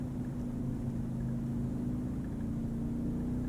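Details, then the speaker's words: Ryobi 2300 peak / 1800 W continuous inverter generator, remote-started via Bluetooth app with ONE+ battery, carrying over half load (heater on low, roughly 600–750 W): smooth steady constant-pitch hum, no hunting or misses; normal running under load. "I was really skeptical how this thing was going to operate but I just started this generator remotely with over half a load."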